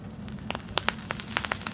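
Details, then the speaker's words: Vape coil on a Mad Hatter tank: sharp, irregular pops and snaps several times a second over a soft fizz while firing; coil popping, unlike the quiet stainless steel wire. "if you notice with candles like sub tanks already ate they pop and snap I mean you hit the button"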